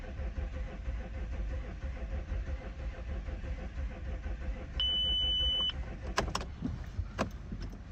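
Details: Cold start, 2007 Audi A6 C6 3.0 TDI allroad quattro tiptronic: several seconds of uneven low cranking, chime and scattered clicks, slow to catch, from low compression on cylinders 5 and 6; hard starting from low compression.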